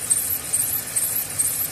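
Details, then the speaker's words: Mercedes ML 350 naturally aspirated V6 at idle: a thin, high chirping squeal pulsing about twice a second. A tensioner, drive or idler pulley starting to go bad. "It could be a tension pulley, it could be a drive pulley, idler pulley. So that's the sound that it makes whenever one is going bad a little."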